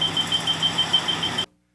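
Rapid high-pitched beeping, about seven beeps a second, then it stops: the detector is warning of live AC voltage.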